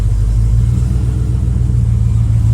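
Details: Engine running after a new fuel pump install, with a fan whirring nearby: a deep, steady, unbroken low idle rumble, starting and running smoothly; the regulator needs bumping up.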